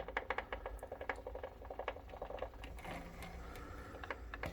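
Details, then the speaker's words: Concept2 rowing machine, already oiled: rapid dry clicks bunched at the start of each pull, thinning later in the stroke and fading at higher speed, with a visible chain stutter; clicking chain drive. "I just don't ever remember starting the pull and it being noisy like this I mean it could have but I don't I don't ever remember the clicking noise"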